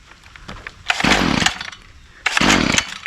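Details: Stihl FS45C line trimmer two-stroke, just fitted with a replacement aftermarket carburetor, restarted with a pull: two sharp throttle bursts catch and rev cleanly to a high buzz, then drop back; it runs normally.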